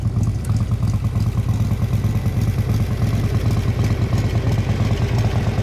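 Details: 1957 Harley-Davidson FLH Panhead tank shift with sidecar, factory race-ported heads and race cam, low original miles, original paint: loping V-twin idle, about three even beats a second, steady with no clatter or misses; healthy motor.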